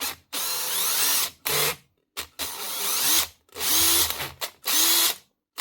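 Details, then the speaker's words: Makita 18V impact driver, possibly a 451: the motor whirs up and cuts out about five times in six seconds without a steady run, from a faulty trigger switch judged not worth fixing. "Now the next one, I think that's the 451 or something. Switch problem."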